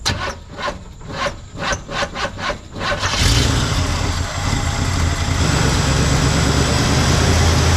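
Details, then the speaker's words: 1974 Chevrolet C10 pickup, small-block V8 (claimed Corvette motor) off the road over 10 years: after cranking pulses it catches and idles with an uneven stumbling beat, still a persistent misfire; hard starting, bad battery cables suspected. "It's still got a miss."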